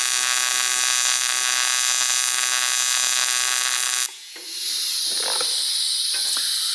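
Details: ARCCAPTAIN 200P AC/DC TIG in AC on dirty Scotch-Brite-cleaned aluminum with 4043 filler: harsh steady buzz breaks off after four seconds, returns hissier and spitting; erratic arc from contamination.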